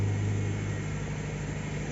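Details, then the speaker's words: Subaru Forester after crank-no-start fixed by repairing rodent-chewed fuel pump wiring: cold start, steady low rumble with slightly raised even idle, no knocks or misses; normal cold fast idle. "na siya mga idol cold start medyo mataas yung Menor pero Babayan Ayos na siya"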